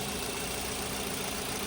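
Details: Mitsubishi Xpander idling after draining the too-thick oil and refilling (3.5 L capacity): steady, smooth hum with no top-end ticking; the timing chain rattle is gone, the oil was the problem.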